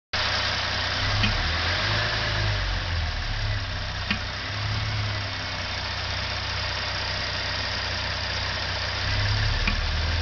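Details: 2013 Hyundai Genesis Coupe 3.8 GDI at warm idle with light throttle applied: steady idle broken by sharp irregular single clicks every few seconds; intermittent clunk from the throttle body.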